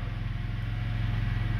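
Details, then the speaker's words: BMW that started then died, fixed by setting the Valvetronic actuator back 14 turns with a 4 mm Allen tool and leaving its connector unplugged: deep, even idle rumble with steady firing, no stumble, no limp mode; normal idle. "see the problem is fixed if this works for you guys please comment no limp modes or anything god just runs fine now"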